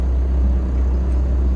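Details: Diesel machine running after a new fuel filter fixed its cut-out and no-start, with a single low rail pressure code logged; rail pressure checks fine. Deep, steady drone with no knock, miss or hunting; running smoothly.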